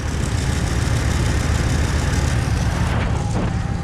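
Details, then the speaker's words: Spring start-up of a cheap old truck after sitting, just fitted with a battery: deep idle rumble with an uneven pulse and a slight miss at idle that smooths out as it runs; a leak is seen on one side, and the miss's cause is unknown. "let me know in the comments what you think that little missing is but notice it's getting smoother"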